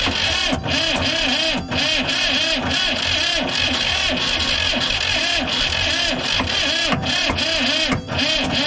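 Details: Diesel vibratory roller compactor, sitting 30 years, new starter: steady churning crank with uneven puffs and catches that never settle into a run; ether added while cranking; very close to starting but won't keep going.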